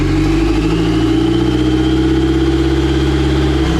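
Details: Dodge SRT-4 turbo with replacement engine (bad crank sensor found) and transmission with 3rd gear popping out on downshift, after rewire, running before gear test: strong steady engine note, no misses or knocks; normal running.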